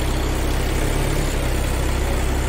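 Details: Volkswagen Taigun idling after battery replacement fixed long cranking and no-start from a bad-cell battery, warning lights cleared; even steady idle, smooth low drone, no knocks or misses, healthy.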